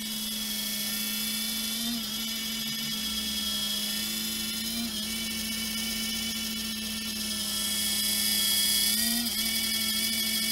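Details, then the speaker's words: Anet A8 3D printer cooling fan, sleeve bearing with no ball bearing, clogged with dust over time: steady whirring hum with a harsh, gritty high hiss; noisy fan. "Bugün baş belası şu fanların ses problemlerini çözeceğiz."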